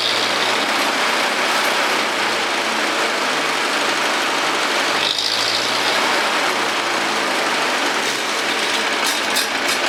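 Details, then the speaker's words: Ferguson TO-30 tractor engine after 20–25 hours post-rebuild head bolt re-torque and valve lash adjustment: steady even running, earlier tick gone; sputters slightly on throttle, suggesting lean mixture. Normal running. "Okay, guys. So, uh, it sounds like it runs a lot better. I I don't hear that tick that I had."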